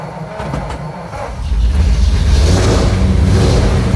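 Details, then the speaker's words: Old truck, long hard to keep running, with a fuel delivery problem, started with choke and an electric fuel pump switched on: the starter churns at about four beats a second, then the engine catches and settles into a steady, louder rumble. Engine cranking and starting. "There she is. Let's give her a little more choke. See if she wants to run on her own."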